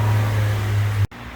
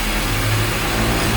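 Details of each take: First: 2013/14 Honda New Civic 2.0 after accessory belt tensioner replacement: smooth, steady low hum with no squeal or chirp from the belt before it cuts off; sounds healthy. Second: 2013/14 Honda New Civic 2.0 with hard starting: at idle with a slight rise in revs, a rhythmic chatter about four times a second rides on the engine hum; diagnosed as a worn accessory belt tensioner.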